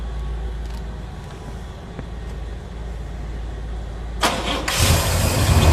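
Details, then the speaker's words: 1972 El Camino, original 454 replaced with a 502 big block, first start: the V8 cranks and catches within a second, settling into a strong, even rumble; healthy start-up and idle. "very happy start it up and it sounds really good"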